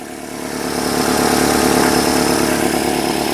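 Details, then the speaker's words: 2005 Nissan Altima 2.5L four-cylinder idling after valve cover swap and new spark plugs, coils and boots (oil had leaked into plug tubes, causing misfires); settles into a steady, even idle with no misfire stumble or ticking; runs without misfire. "I'm ready to be done with all things wrench related it runs it lives it doesn't backfire or not backfire but misfire"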